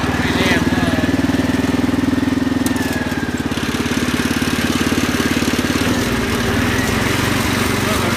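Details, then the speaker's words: Cub Cadet 1100 garden tractor in cold weather, in gear with the rear end dragging: the small engine chugs under a loose, irregular rattling two to three times a second. The owner suspects a gearbox problem, a simple fix needing removal; not confirmed. "there's something going on in there but uh like i said i wouldn't douse that gearbox fully um it's a simple fix"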